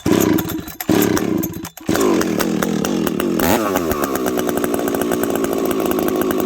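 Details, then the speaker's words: Husqvarna 372XP chainsaw with a bolt-on UFO pipe, run at around −30 to −40 °C after warming up: starts, then holds a high steady scream with a light four-stroking burble; healthy, slightly rich, could be leaned more. "um this thing nice healthy four stroke I probably could have leaned it out even a little bit more I already leaned the hijet on this just a smidge"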